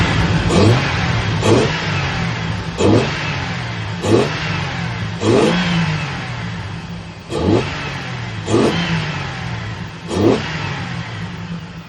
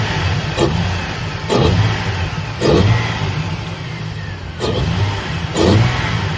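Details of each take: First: Petrol car engine, throttle snapped: revs up and down in repeated even blips, running smoothly with no stumble. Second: Petrol engine snapped from idle five times, running rough and uneven with a cylinder 1 misfire from no fuel.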